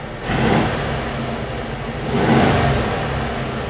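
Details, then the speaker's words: 1971 VW Bus 1600 with new dual 34 ICT carbs and exhaust; two quick throttle blips, each rising cleanly and settling without stumble or hesitation; normal throttle response. "She's spicy. As spicy as 1600 can be."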